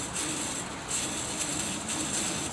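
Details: Whirlpool refrigerator, about 10–15 years old: fast, uneven ratcheting chatter with a bright hiss from the defective upper freezer fan motor, which was later removed.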